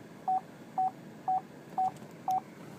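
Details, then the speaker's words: 2012 Chevrolet Traverse AWD LT reversing close to an object after the parking sensors were recalibrated and reset: six short, even mid-pitch beeps about two per second; normal ultrasonic rear park assist. "and you can see how close I am to it that's the parking sensor there"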